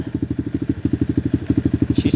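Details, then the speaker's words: Tao Tao Coleman 125 ATV, still cold, with new small exhaust silencer and Nibbi carburetor, idle RPM being raised slightly; crisp, even single-cylinder thumping with no misses or knocks, normal cold idle. "So, that sounds pretty good. I like that little that little silencer on there. Bring the RPMs actually up a little bit."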